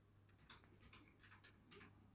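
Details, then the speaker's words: Outemu Silent mechanical keyboard switch, supposedly lubricated, still gives faint sharp clicks at each keypress; the separate two-part mechanism is suspected to click, with gluing proposed as the fix. "вставляем вне щёлкающий механизм якобы смазаны и оно щёлкает"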